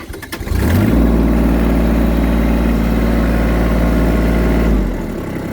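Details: Kubota L3800 HD tractor diesel, 75 hours, owned about three years, after glow plug preheat: starter cranks briefly, catches within a second and settles to a steady, even diesel idle; clean, healthy cold start.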